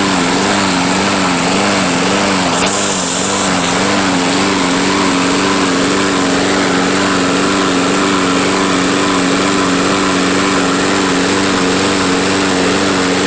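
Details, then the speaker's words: Troy-Bilt lawnmower, sat all winter and run on old fuel: small single-cylinder engine running steady with an even buzz and slight governor waver. Running fine. "all right well at least you know it works now oh that's great"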